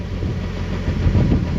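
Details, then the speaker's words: Turbo Nissan 240SX with homemade shop-vac intake at idle: steady low idle with irregular metallic clanging as the exhaust shakes, held by only one hanger. "You can hear it clanging. That's because I only have one exhaust hanger in, so I definitely need to add more exhaust hangers, but I think I'm good to take it for a couple laps around the parking lot here."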